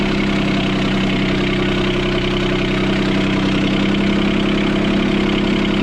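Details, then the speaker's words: Sailboat port diesel after repairing four engine mounts snapped by a log strike. Steady, fast idle with a firm even beat near four per second, too high; the throttle cable bracket was bent when the engine shifted 3-4 cm. "So I have to adjust that. It's actually idling too high now."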